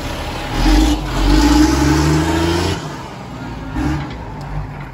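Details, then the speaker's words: Military surplus 6x6 cabover diesel truck, road test after broken wires were repaired. Engine pulls cleanly up in pitch under load and eases off with no misses or knocks. Running flawless. Normal diesel acceleration. "everything is good this truck is running like flawless it runs freaking beautiful"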